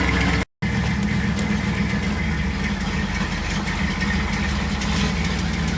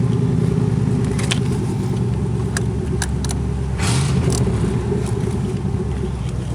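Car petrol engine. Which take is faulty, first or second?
second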